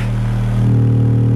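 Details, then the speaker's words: Vintage Realistic STA-235 stereo receiver on oscilloscope test at about 24.5 V RMS output: steady low test tone turns harsh and buzzy as level climbs, speaker overpowered and hard clipping; amplifier clipping distortion. "you can hear the speaker is overpowered right about right that's sheesh you can really hard clip this thing"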